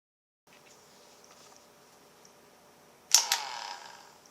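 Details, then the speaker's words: Ryobi P738 inflator, tried with different batteries: silence, then a sharp half-second motor whir that dies immediately; it won't keep running, cause unknown, owner suspects a switch or wire. "When you go to start it, the motor starts and then stops. Just a split-second run."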